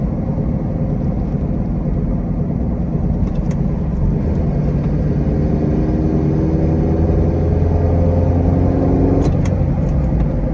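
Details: Mazda Miata (MX-5) while driving: deep road rumble with a low growling hum that climbs in pitch with speed, the sound of a bad wheel bearing.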